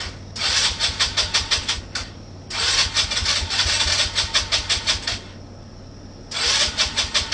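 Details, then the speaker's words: 2018 Polaris Phoenix 200 ATV, bought new, after sitting and being loaded and shaken: three short cranking bursts, about three turns a second, never catches, keeps stalling; hard starting from a rich carburetor needle setting. "here's a video after I loaded it up and and shook it around a little bit they want to sounds like it wants to start just keeps on stalling out"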